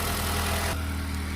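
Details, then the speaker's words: Honda Civic 10th/11th gen 2.0L N/A at idle after replacing the injectors with OEM Keihin units, checked for fuel leaks: smooth, even idle with light, regular injector ticking, which is normal; the repair fixed the issue. "You will know pretty quick that there's a fuel leak. You can hear all the injectors clicking too."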